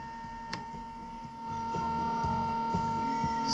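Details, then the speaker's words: Aiwa HS-JX50 personal cassette player: faint, muffled tape playback with steady hum and whine over the music; owner blames bad capacitors, record function also not working, planning to replace all capacitors. Hum and degraded playback. "so yeah record function doesn't work right because of the capacitors I'm going to change all the capacitors it sucks it's really hard to take this thing apart also yeah you can hear the bad capacitors already"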